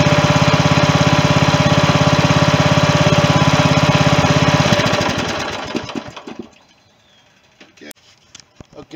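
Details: 16.5 hp Briggs & Stratton engine swapped into a John Deere mower in place of its 15 hp Kohler; even, rapid thump at steady speed for several seconds, then it winds down and stops. It ran smoothly.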